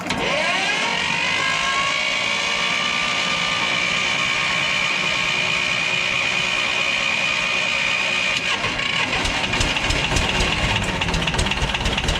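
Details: 1985 Belarus 250AS diesel tractor, revived after sitting 8–10 years: catches after a short crank, settles into a steady even run with a constant high ring; running normally.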